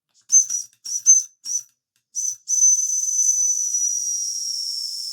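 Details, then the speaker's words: Old Mamod model steam roller, not run in decades, first steam-up after cleaning, oiling and new belts: whistle held down to depressurize gives a few short high toots, then a long steady shrill whistle with hiss as pressure bleeds off; normal whistle. "But yes, the little mammod is working. Absolutely lovely. Let's hold the whistle down to depressurize."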